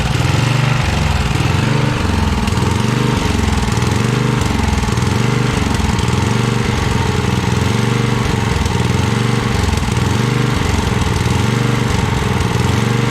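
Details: 1982 Snapper Comet 8 HP Tecumseh engine, off the tractor, run on choke at full throttle, burning off old fuel with a foul smell: loud single-cylinder roar, steady throb about every second, rough; only runs at full throttle, carburetor tuning still needed.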